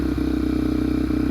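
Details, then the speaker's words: Yamaha TTR230, uncorked and rejetted, just started on choke and not yet warmed up: a quick, regular single-cylinder thump at an idle set too high, even and unbroken. The carburetor is set up and the engine runs healthy. "Idle's way too high, but sounds really good, actually."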